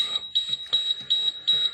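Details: Diesel school bus with air brakes, tanks under 30 psi: shrill beep repeating about three times a second, the low air pressure warning that sounds until pressure reaches 60 psi while the engine keeps running.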